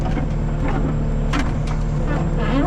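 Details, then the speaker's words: Cat 279D3 skid steer (about 2019) diesel, warm, after main drive hydraulic hose replacement: steady, even rumble with no knocks, surges or squeals. Normal running, back to normal; owner will use it for a day to confirm. "Back to normal now. Let's just use it for a day and see."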